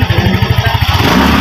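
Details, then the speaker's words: Yamaha Mio i 125 after replacing the broken cam chain tensioner (snapped spring) that caused a cricket-like ticking: soft, even idle with no chain rattle or ticking, now quiet and healthy. "Oh sige start oh tahimik na sir"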